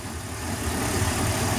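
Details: Boat engine after a fix for hard starting and low RPM (stuck at 4000 of an expected 5000): fuel restriction cleared. Steady, even drone with a low thrum and no misses or knocks, a healthy idle.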